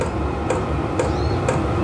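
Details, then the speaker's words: Vevor portable diesel heater mounted under a camper trailer, on low setting at the lowest temperature, once warmed up: crisp dosing-pump ticks about twice a second over a soft fan hum, slowed from rapid ticking at start, normal operation. "fuel pump has gone from going tick tick tick tick tick tick just to going tick tick tick that is now I think fully operational"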